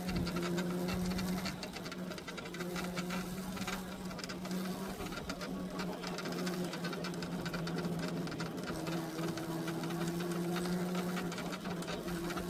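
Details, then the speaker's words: Ola S1 Pro electric scooter on stand, ridden daily in rain for about 2.5 months: buzzing, insect-like drone near 180 Hz wavering with wheel speed, sounds like something broke; dry, ungreased bushes. "तो guys भाई देख लिया आपने क्या आवाज आ रही है इसमें ऐसा लग रहा है जैसे कुछ टूट गया होगा"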